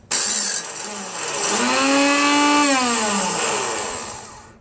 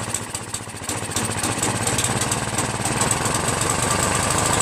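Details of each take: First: Craftsman 5.5 hp 26-inch OHV snow blower on choke at full throttle, electric start pressed: starter motor whines up, holds and coasts down with no cranking. Its rusted shaft stops the spring-loaded drive gear from engaging the flywheel. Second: Free Craftsman 5.5 HP 26-inch OHV snow blower: catches on choke, then settles into a steady, even beat with no misses or knocking; runs healthy, though idle screw needs raising as it stalls at half throttle.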